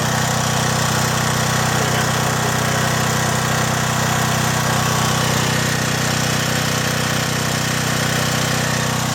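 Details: John Deere/Briggs and Stratton generator, repaired (gummed carburetor cleaned, rotted fuel lines replaced), no load while reading about 114 V per leg: steady, even drone holding constant speed, no hunting or surging; healthy.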